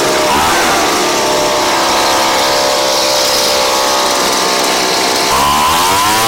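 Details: Craftsman 29cc two-stroke blower, previously missing its spark plug and fuel, now on a Chinese aftermarket carb-kit plug: high buzzy scream holding steady with small pitch dips; running cleanly and strong.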